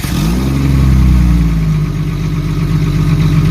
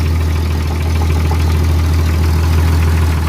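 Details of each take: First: Jeep ZJ with muffler rusted through and holed, leaking exhaust fumes into cabin: loud deep raw rumble swelling on a blip into throaty idle. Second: Jeep ZJ after replacing a rusted, holed muffler with a new one: deep, steady, even idle rumble, not too loud. Leak check found only very minor leaks. Normal idle.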